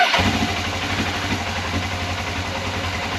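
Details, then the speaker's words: 1989 Suzuki GS500E twin after new spark plugs and air filter (previously misfiring on one cylinder): catches immediately, settles into steady even idle with no skipped beats; misfire gone. "Holds idle really nicely. There's no misfire like there was."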